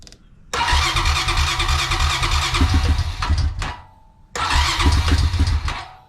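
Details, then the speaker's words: 2004 Honda Rancher 350 ATV after carburetor replacement (old carb leaked from overflow tube): engine catches, runs rough about three seconds, dies, restarts and fades; idle set too low, adjust with the plastic knob on passenger side. "yeah it's gonna need to idle up so in order to idle this thing up it's over here on the passenger side there is a knob plastic knob in here you can reach in and turn it"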